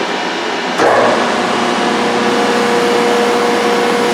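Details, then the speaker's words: Old coin press after restoration, pump motor switched on: a smooth, steady hum that holds evenly with no knocks or grinding, quieter than the phase converter. The motor runs normally before stroking is turned on. "actually quieter than the phase converter. And it's running now, so we'll turn it on to stroke."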